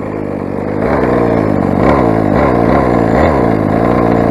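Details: Rovan 45cc big-bore Chinese two-stroke, first run with modified exhaust header and stock carb: harsh raspy revving that climbs and wavers without smoothing; sounds lean, owner blames carb settings being way out.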